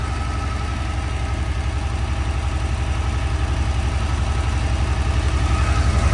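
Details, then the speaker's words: 1982 Porsche 911 Targa, same owner since 1983, sat about five years: steady even idle just after a cold start, no knocks, ticks or smoke. Seller notes it can choke up and die, then idles fine after sitting a minute or two. "So you won't have any smoking issue. The motor doesn't knock. It doesn't make any weird noises."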